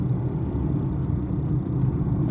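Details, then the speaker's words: Maruti Suzuki Baleno driving after fixing a crackling door noise, microphone by the door glass: only smooth low road rumble, no crackle or creak from the door; door quiet after repair. "Voice gone."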